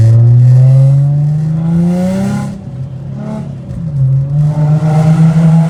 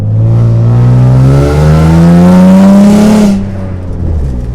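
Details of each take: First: Infiniti G35 coupe (VQ35DE), driving with downshifts (owner notes around 60 mph): clean deep exhaust note climbs through the revs, dips on the downshift and pulls back up; no ticking or puffing leak, healthy exhaust. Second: Infiniti G35 coupe, VQ35DE V6, while driving: revs climb, then drop on a downshift with a raspy, blatty, sputtering exhaust note like a tractor, from an exhaust leak.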